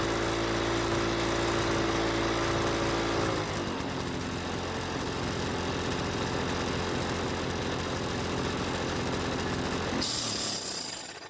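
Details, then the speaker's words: Toro commercial mower with Suzuki engine, not starting due to hardened carb gaskets causing a massive air leak: engine runs steady, then on shutdown a harsh metallic scraping rattle as it spins down from the completely worn flywheel brake, not a big concern yet. "that metallic noise that you heard when I shut the engine off is the flywheel break it's completely worn down and it's not a really big concern right at the moment"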